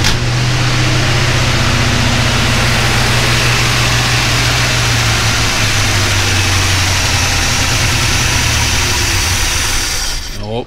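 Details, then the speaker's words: 1957 Chevy wagon, believed 327 V8, running after years sitting, gas poured in carburetor, oil pressure showing: even idle, steady low rumble, no knock or clatter, got really quiet after sounding tight earlier; healthy. "right well I don't know what or if it's pulling fuel but it got really quiet I'm happy with that"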